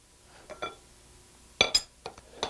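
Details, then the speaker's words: Milling machine universal dividing head with a 24-tooth permanent index plate giving 15° steps. The lock lever is released and the plate rotated until the spring lock pin pops in. Sharp spaced metallic clicks as the indexer detent engages properly. "we simply release the lock lever rotate it until it pops into the next setting and we're automatically"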